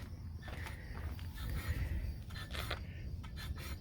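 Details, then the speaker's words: Kawasaki Bayou 2000 KLF 220 ATV, front wheel hand-spun after wheel bearing replacement: dull rumble with scraping bursts each revolution, brake dragging on the drum; loosening the brake adjustment a couple turns made it spin better. "that sound like a brake hitting? Yeah, it does, huh? Let's loosen it up right here."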